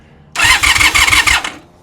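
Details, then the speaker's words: 1996 Honda Magna 750 that sat in a barn about 4 years with old fuel, first crank attempt, clutch pulled in, fuel spraying out: about a second of quick starter cranking, spins freely but doesn't fire; owner suspects carbs need work. "Dang, all right, we're making progress. Now we know it turns over. Probably gonna have to get into these carbs next because I doubt it's gonna work as it is."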